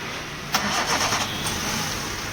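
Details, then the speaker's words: Hyundai Santro starter motor (self) with a fault, before repair: starter turns sluggishly with uneven pulses then a drawn-out strain, taking load; worn, laboring starter motor. "ये देखो self load ले रहा है। देखो ये self load ले रहा है हल्का सा।"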